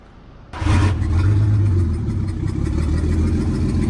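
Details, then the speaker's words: Nissan Skyline six-cylinder turbo in limp mode at high idle, running on all six: rough idle with a faint rhythmic chirp over the low rumble, audible when revved; owner suspects a burnt valve, head to come off. "So you guys can hear the noticeable chirp that's happening. But if I rev the engine, you guys can hear it. It's actually not too bad."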